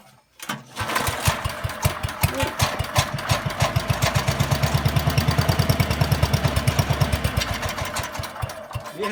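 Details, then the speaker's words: 8 hp Kohler K181 single in a Giant Vac leaf blower on points ignition, no fuel tank, started on ether in the carb; coughs, catches and settles into a fast, uneven pop-pop run, ignition clearly firing. "all right well that sounded like very promising huh guys"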